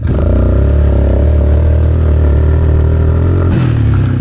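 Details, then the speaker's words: Suzuki Ozark LTF-250 ATV, warmed up, ridden in cold wind at wide open throttle: single drones flat and low, can't catch up, bogging under load; owner suspects air filter and dirty carburetor, not confirmed. "You hear it still bogging like that wide open though."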